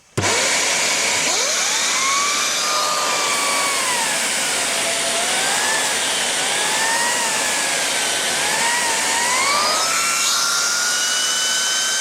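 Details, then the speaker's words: Morphy Richards 73415 (Shark Navigator Pro) lift-away vacuum, new, running with the air-driven turbo brush head: loud airy roar with a whistling tone that wavers as the head is worked; normal turbo nozzle racket. "I know I've only had it a few minutes, but unlike most cheap vacuums I've owned, it is not loud."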